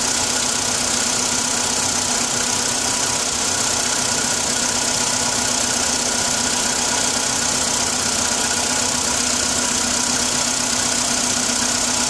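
Steady cold idle under a constant clattery hiss, with a light, fairly regular tap around 158 a minute running through it.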